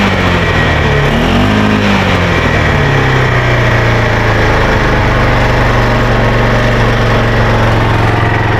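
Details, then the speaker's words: Arctic Cat Prowler 500, warm engine idling after a brief rev: loud raspy puffing with a loose metallic buzz; exhaust leak, with the exhaust loose and rattling. "so anyway if you can hear it if you can tell there's an exhaust leak on this thing and it's super loud the exhaust rattles it's real loose"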